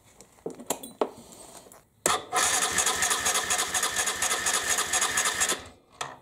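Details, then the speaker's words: 1998 Aprilia Leonardo 125 scooter after carburettor cleaning and new battery, first start attempt: starter whirs about three seconds without catching while the fuel pump fills the empty float bowl. "now the fuel pump needs to fill up the fuel chamber of the carburetor first"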